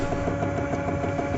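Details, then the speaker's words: HP LaserJet M436/M433/M438 printer, tech mode DC motor drive test with right door sensor bypassed: even motor hum with soft regular gear tick about six per second, no grinding; the noise heard at power-on is absent running unloaded. "वह वाली noise नहीं ए रही है अभी जो पहले ए रही थी जब स्टार्टिंग में मशीन फोन किया था"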